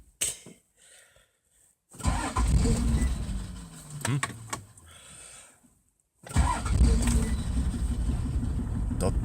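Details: Toyota Land Cruiser HDJ80 diesel, mechanical injection pump, direct injection, cold start at -20 °C: a couple of short cranking bursts, then catches and settles into steady even idle clatter; normal cold start.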